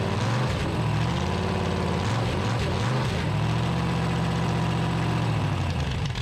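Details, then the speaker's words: 1974 Dodge D100, 383 big-block with solid lifters and new headers, on a cold-morning start after advancing the timing: a deep, steady, lumpy V8 idle, even and without knocks or misfires, though the idle needs raising. "better turn your idle up a little bit huh yeah sounds pretty good though sounds good do it huh yeah no funny noises"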